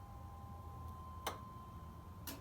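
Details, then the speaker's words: Dually truck, battery hooked up after starter installation: two crisp clicks about a second apart over a faint steady hum as power comes on. Relays engage normally, likely the fuel pump kicking in; roof lights came on. "oh i hear things all clicking on my roof lights are on for some reason good to know those work"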